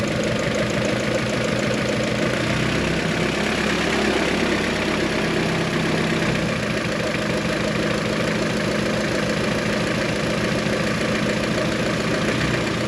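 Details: Tuned G23BK engine idling with the fan off: a light, fast tick rides over the engine; it disappears when the cylinder 1 ignition wire is pulled, and commenters suspect piston slap, so a compression check is planned.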